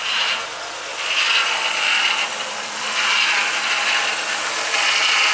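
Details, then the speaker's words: BA Falcon power steering pump after reinstall and refill, first start after weeks sitting, wheel turned lock to lock: a high rasping whine that swells and fades; air in the fluid is making the pump cavitate. "Plenty of air came out. Good news. This hasn't separated. The air's just all come out of it. So it's just cavitating,"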